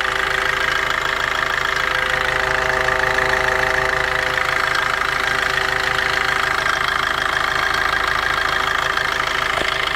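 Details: Opel/Vauxhall Corsa/Combo: even idle with a thin whirring tone like a cooling fan though the fan is off, coming and going regardless of acceleration; source not pinned down; intermittent whirring noise.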